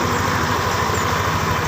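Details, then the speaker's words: Yamaha Lexi CVT, rear section: coarse, rough growl (ngorok) pulsing steadily at idle and sharp even when off throttle, coming from inside the CVT rather than the cover or plastics; worn pulley boss. "a bunyi mengkorok di bagian CVT tepatnya dibagian belakang ini itu saat lepas gas pun juga ada suaranya sangat tajam"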